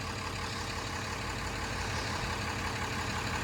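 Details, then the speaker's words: 2016 Ram 2500 diesel during its no-load break-in idle after a new Fleece Cheetah turbo replaced the OEM turbo with a failing actuator, flushing contaminants from the housing; steady clatter, no whistle, surging or knock; normal idle. "fire it up and just let let it idle they said 3 minutes we'll let her we'll let her idle for about 5"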